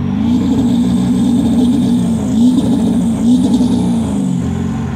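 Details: 7.3 PowerStroke diesel floored, blowing blue smoke: loud roar with uneven, stumbling beat instead of a clean pull, misfire under acceleration; cause suspected, not confirmed.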